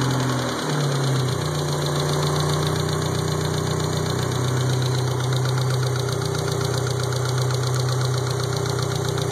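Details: Mitsubishi 1G Talon, 4G63 engine at idle: fast, light ticking about four per second that follows engine speed; owner suspects lifter tick.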